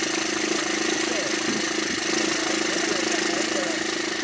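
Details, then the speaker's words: Diesel car running well after its diesel pressure sensor was replaced; light, fairly regular chatter about three times a second at idle, attributed to worn timing chain tensioners that were never changed. "وهذا الصوت اللي عنده انا موجود بصفه عامه تلقاها موجود يعني شدادات وكذا احنا ما غيرهمش الا وقت يعملوا صوت"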